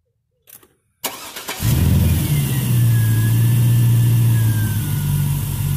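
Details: 1967 Chevrolet Bel Air with an LS V8 swap, just after new spark plugs and wires: a short crank, then a steady, deep, even idle with a light blip, running smoothly, though a little louder than before.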